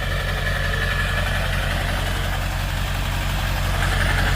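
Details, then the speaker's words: Ford F-250 7.3 Powerstroke diesel, previously ran horribly on low oil with no power, now topped up with additive and driven 20 miles: steady low diesel clatter at idle, even with no stumbling or misfire, normal idle. "But everything seems to be good."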